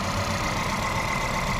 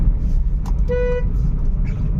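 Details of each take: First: Volkswagen Polo/Vento with code P030100, a cylinder 1 misfire, that misfires at 50–70 km/h with the engine and EPC lights on; lumpy, stumbling idle as one cylinder drops out; the cylinder 1 injector wire shows no pulse while the plug lead has current. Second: Volkswagen Polo/Vento after repair for a cylinder 1 misfire (P0301) with EPC light at speed; vacuum pipe replaced. Road test at speed: steady, even engine drone under road rumble, no misses, no warning lights.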